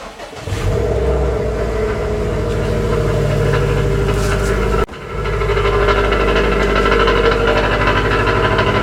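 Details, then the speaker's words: 2018 Subaru WRX STI with custom downpipe and tune, cold start: engine catches into a loud, raspy fast idle with coarse exhaust rattle from the secondary air pump, considered normal and expected to fade as the pump shuts off. "get this horrible cold start rasping that's very NIC normal"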